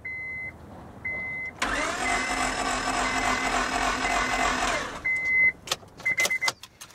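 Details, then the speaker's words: 2002 Honda Civic 1.7 L four-cylinder that died while driving, had fuel and spark: starter spins fast and smooth with no compression chugging between door-chime beeps; belt found shearing its teeth, timing belt stripped. "one thing that was kind of interesting is when we cranked it made it just kind of had a distinct sound to it"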